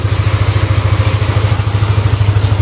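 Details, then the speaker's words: Yamaha Aerox engine after repair of the failed rocker arm bearing that caused a severe ticking noise. A low, even putter at idle with no tick or clatter; the engine now runs smooth. "Alhamdulillah ya untuk suaranya kembali lagi halus banget untuk suara mesinnya yang tadinya ngeletek e suaranya kembali halus lagi Bang"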